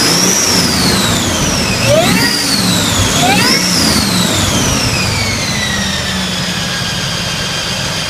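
High whistle over the engine that sweeps up and down twice as the revs change, then fades to a steady lower tone; cause unclear.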